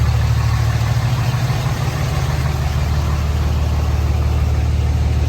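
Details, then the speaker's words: 2006 Dodge Cummins 2500 Mega Cab diesel with CTS3 Edge tuner, new injectors and repaired fuel injection pressure regulator, which previously dipped rpm and stalled at idle: steady, even low clatter with no stumbling. Normal idle, no exhaust smoke. "idle seems good um yeah idle seems good"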